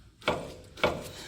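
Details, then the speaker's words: Toyota 4Runner front strut, wheel rocked by hand: two sharp, hollow metallic knocks; the lower strut rubber bushing has collapsed on both sides, so the bolt knocks metal on metal. "rubber bushing is so bad that the bolt is basically knocking metal on metal"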